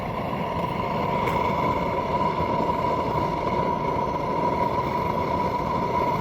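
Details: Tank supplying rebuilt kiln gas burners at about 1 psi on the regulator, all three burners lit during a night test run: even, steady roar with faint constant hum, no sputter or popping; burners running normally.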